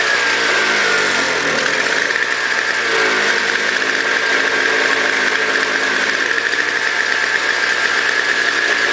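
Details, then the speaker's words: Toro CCR 2000 single-stage snow blower, 4.5 hp two-stroke, after cleaning; smoked from very old gas backed into the cylinder; warming up: crisp even buzz at steady high pitch, no stumbling or surging; normal running. "oh so as you can hear it's running great um the one it was smoking smell like really really old gas"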